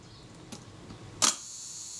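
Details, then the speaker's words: Kodak Retina Reflex type 025, after servicing its faulty shutter release and reassembling: after faint handling, one crisp clean shutter snap with a short ring-out; shutter speeds clicking nicely, fires properly. "my shutter speeds are all clicking nicely"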